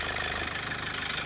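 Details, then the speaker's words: Toyota Avensis that would not start (flat battery), now running, oil service due: steady idle with a light quick buzzing rattle from the loose air box — air box rattle. "it's got a really annoying rattle there on the air box i don't know if you can hear that when you grab it"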